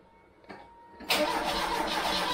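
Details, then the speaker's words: Freshly installed Pinto engine in a MK3 Cortina, timing being set, choke tried; starter bites after a pause and churns steadily but the engine never fires; crank no start, owner suspects flooding, not confirmed. "it could have flooded now it's around that zone anyway I'm not I don't know why it doesn't just go like a trooper they normally just go like Troopers just kick straight in no matter what"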